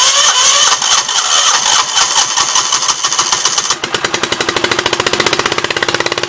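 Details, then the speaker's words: 1976 Gravely 816 twin, first start on old gas, choke manually open: cranks a few seconds, catches, then a lumpy single-beat popping idle on the right cylinder only; owner almost sure the other exhaust valve is stuck open. "It's only running on the right-hand cylinder. I'm almost 100% sure that the exhaust valve on this side is stuck open"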